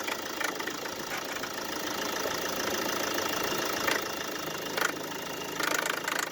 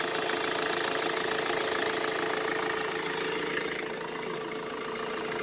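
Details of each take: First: На холодную пищит и стучит крепление кондиционера. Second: Mercedes Vito W639 OM646 diesel, with shorter belt routed past AC compressor pulley as temporary winter fix for squealing and knocking AC mount: quiet, even idle, no squeal or knock at engine front; normal idle.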